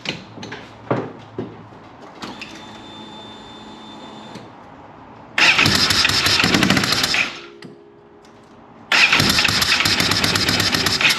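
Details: Polaris RZR 900 fuel-injected twin, first start attempt after injector checks, plugs cleaned and regapped to 0.030 in: rough, uneven running with sputtering pops blowing back through the intake, smelling of gasoline; owner suspects a valve not closing, later traced to a broken camshaft.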